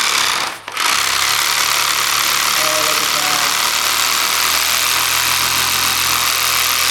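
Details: DeWalt D25003K type 2 hammer drill after new cord, piston O-ring and spring clip, in hammer-only mode: steady, loud, rapid hammering rattle, even and unbroken once the trigger is pulled; hammering normally.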